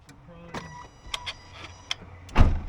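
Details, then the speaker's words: Nissan Pathfinder broken down, while testing coil packs and fuses cylinder by cylinder; key on, faint low electric hum about a second amid light clicks, normal fuel pump prime. "And the pump primed on that one as well, so that is still good."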